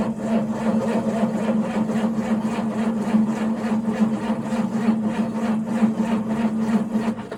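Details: John Deere 6910 tractor on a frosty cold morning: starter whine with even compression pulses about three a second for seven seconds, then silence; never fires. Cranks but no start.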